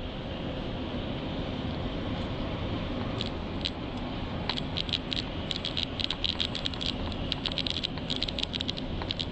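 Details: 2009 Volvo XC90: intermittent light plastic rattle from behind passenger-side dashboard over road hum while driving; stops when pressing down on top of dashboard.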